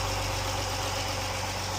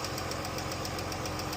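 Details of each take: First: Jeep, warmed up after rocker arm and lifter repair for ticking: smooth, even idle with a steady low hum and no top-end tapping; healthy, fixed. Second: Jeep engine idling with quick, even ticking about seven times a second; worn rocker arms and lifters, a known engine problem, not oil-related.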